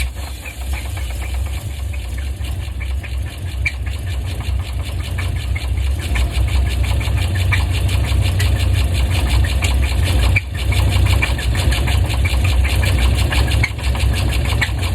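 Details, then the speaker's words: Box Chevy Caprice with a Vortec SBC 350 and 700R4 transmission idling with a steady low rumble and a regular knock about three times a second; removing the power steering belt didn't help. Owner suspects a pulley, cracked flexplate or spun bearing. "i started that right now for you so you can kind of hear what it sounds like but it's still not right man it's still not right"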